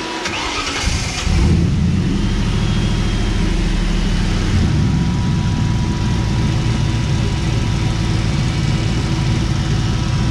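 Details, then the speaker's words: Cobra replica with a 2003 Mustang GT 4.6 V8 and 5-speed manual, started after priming the fuel pump: it catches, then idles with an uneven, lumpy low rumble. Owner suspects low fuel pressure, fuel priming, the pressure regulator or a sensor. "definitely fuel related it could be a sensor but my gut is still telling me that it keeps stalling out because there's not enough fuel pressure"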